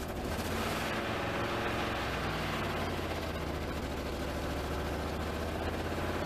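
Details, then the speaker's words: 1988 Pontiac GTA, about 41,000–45,000 original miles, running cold after a new fuel pump: loud, choppy, stumbling idle that never settles; it stalls and won't pull under load unless feathered. Owner suspects air or fuel; cause undetermined. "put it under a load it just kind of does not go it won't even catch I've got it floored right now it would catch if I feathered it"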